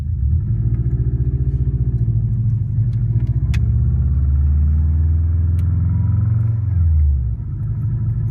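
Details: Warm 2004 Subaru WRX stage 2, 150 psi compression, 5-10% leakdown, no oil burning, revved: flat-four with light ticking quickening with rpm; suspected piston slap, actually cracked up-pipe flange exhaust leak.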